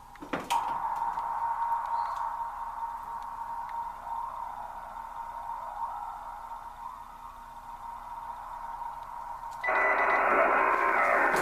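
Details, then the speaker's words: Kenwood TS-940 transceiver after power supply upgrade to Compudigital unit: steady mid-pitched hum with faint ticking about four per second in receiver audio; grounding the case doesn't change the noise, source unconfirmed. "so that that's with grounding the case case ground there's also a chassis ground on this again it doesn't change that noise"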